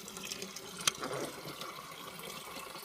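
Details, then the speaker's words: Double-trapped furnace condensate line (ground trap 16 in, P-traps about 2 in), water drains freely once a trap is pulled off: soft, steady trickle and gurgle of water with no air lock. "We've got a bunch of water draining really nice now out of our system."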